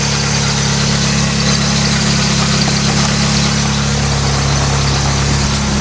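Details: Mitsubishi Eclipse petrol engine idling while warming up after alternator bracket fix, belt now lined up with the harmonic balancer: steady, even idle with a smooth low hum, no belt squeal or chirp; normal idle.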